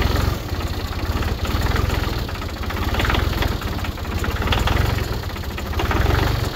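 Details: Tractor diesel started in the cold after the glow plugs, warming up to run a three-point log splitter. It catches and settles into a steady, even low chug at idle with no knocks or misses: normal cold idle.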